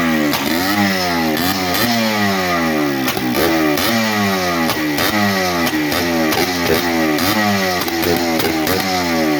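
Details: Yamaha Blaster two-stroke, first start after top-end rebuild, air box off: crisp crackle climbing and falling through repeated throttle blips; fires and revs freely, raw with no intake muffling.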